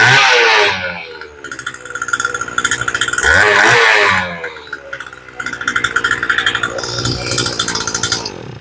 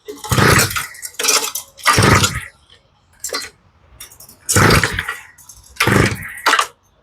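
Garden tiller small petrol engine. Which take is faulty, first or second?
second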